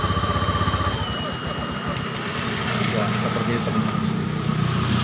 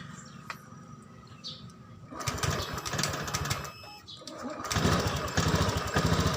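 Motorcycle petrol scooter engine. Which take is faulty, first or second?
second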